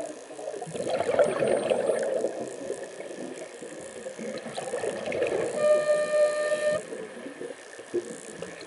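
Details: Mares Proton ICE scuba regulator at 700–800 psi tank pressure while diving: bubbly breathing then a clear steady honk about a second mid-inhalation. Regulator honking on inhalation.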